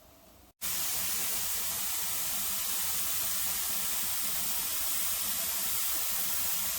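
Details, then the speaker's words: Pressure canner processing tomatoes, venting for 10 minutes before the weight goes on: loud steady hiss of steam rushing from the vent pipe with no sputter, normal venting to purge all air from the canner. "o the purpose of venting the canner for 10 minutes is to let all the air out of the canner unit itself"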